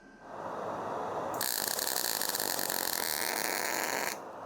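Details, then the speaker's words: MIG tack weld on pedal car build steel showing porosity from bad gas coverage; arc spitting, a harsh uneven crackling sputter about three seconds instead of smooth frying hiss, indicating wire speed setting was off. "This is called paracity due to bad gas coverage, but also if you listen to it, it was spitting a little bit which mean my wire sp"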